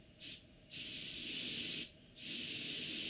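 Two clean bursts of steady, even air hiss with no popping or sputter; the airbrush is spraying normally.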